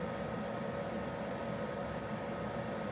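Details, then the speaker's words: Externally mounted under-chassis Eberspächer/Webasto-type parking heater, about 2500 W, running roughly a minute after start; phone about 30 cm from hot-air outlet, air still cold. Steady airy blower rush like a helicopter spooling up, faint constant hum; normal blower operation. "ça fait un peu un bruit d'hélico qui arrive ou qui se lance, au choix. Bon, bruit de soufflerie quoi."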